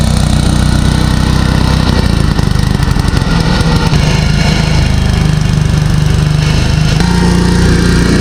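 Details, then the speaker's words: Abandoned Gravely garden tractor, sat 10 years, started after carburetor cleaned; loud, rough, buzzing run whose pitch wanders and climbs unsteadily, no throttle governor, only a cable, so engine runs wide open. "But there's no governor for the throttle, so you're just using the cable to pull it fast or slow, and it doesn't really govern itself like it should."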